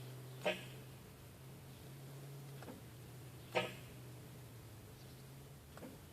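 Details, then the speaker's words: M923 transfer case interlock tested with batteries on, key position irrelevant, button pressed: two sharp clicks about three seconds apart over a quiet hum as the solenoid and air cylinder actuate. Owner concludes the interlock is not releasing, causing shifting trouble. "you can hear it activating that cylinder now what is a touch interesting is uh you know there's like five seconds of vent off"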